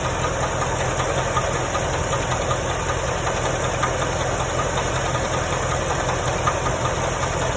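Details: 1995 Chevrolet Corvette engine at idle: light, somewhat irregular knock about two to three a second over a steady idle; source not identified. Engine knocking at idle.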